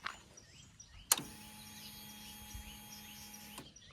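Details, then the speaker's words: Motorcycle at key-on, before starting: a steady electric whir for a few seconds, then it cuts off cleanly. The fuel pump is building fuel pressure; wait for it before starting. Normal fuel pump priming. "So ഈ ഒരു sound വന്നിട്ട് ശേഷം മാത്രമേ നമുക്ക് വണ്ടി സ്റ്റാർട്ടാക്കാൻ പറ്റുള്ളൂ. കാരണം ആ ഫ്യൂൾ പമ്പ് ആ പെട്രോളും കാര്യങ്ങളുടെയും ആ ഒരു പ്രഷർ അവിടെ ബിൽഡപ്പ് ചെയ്തുകൊണ്ടിരിക്കുക."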